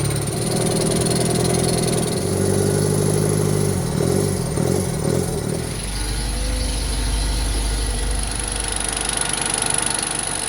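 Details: Franna crane diesel fed diesel directly into the intake after turbo-to-intake pipe removed: cranks and catches rough and lumpy for a few seconds, then settles to a low uneven idle; sticking injection pump plungers starving fuel.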